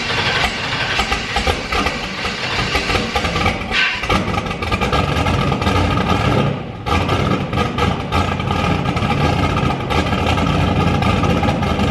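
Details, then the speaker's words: Turbo Firebird with COPO cam on E85, first start: loud, lumpy idle with uneven pulses and dips, engine hunting rather than settling. The tune is still far off. Rough idle. "it runs it gets on the two step the tune is still so far off yeah but uh it at least fires up now"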